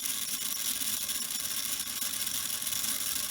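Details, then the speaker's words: Prewar Lionel 229 locomotive's small electric motor, restarted after years dormant with new brushes and cleaned commutator, spinning freely off the track with a steady high hiss and light dry-gear chatter, running well. "you can hear that chattering that's because it's gonna dry but you don't want to do this too long but oh yes he's working good"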